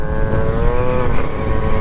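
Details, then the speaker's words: Honda Dio/Elite 70cc scooter with Smart Carb, engine temps mid-to-high 200s, under throttle: pulls but breaks up with uneven burbling cackle, loading up; carb set too rich. "that kind of cackle where it's kind of breaking up there that's too rich you can hear it or it's kind of loading up"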